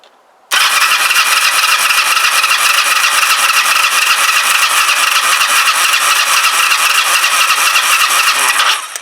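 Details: Kawasaki GPZ500S twin, very hot engine, compression tester on cylinder two, throttle wide open: steady even starter cranking about four turns a second; reads 155, cylinder one 125. Healthy compression.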